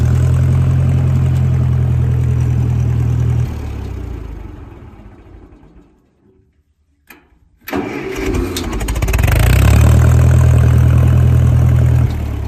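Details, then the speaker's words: 1956 Massey Ferguson MH50 gas tractor with new battery, key switch and fresh fuel. Runs with an even low throb, shuts down, then fires straight back up and settles smoothly: normal start and idle. "And we put a new battery and some new fuel in it, guys, and it just purrs like a Tomcat."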